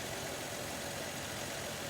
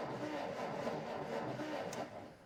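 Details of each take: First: 1947 Dodge D24 Deluxe six, unrun over 6 months before: quiet, soft, even idle with no ticking, knocking or misses; normal idle. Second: 1947 Dodge D24 Deluxe, not run in over six months, owner believes an ignition issue: starter cranks evenly, about four turns a second, without catching; no spark at the spark plug, coil to be checked next.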